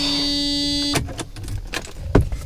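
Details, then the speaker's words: Old Mercedes revived after sitting, with new brake hoses: on key turn a steady electrical buzz for about a second, then only clicks and no cranking; battery drained by a parasitic draw. "that's right. It's got a parasitic draw apparently. I forgot about that."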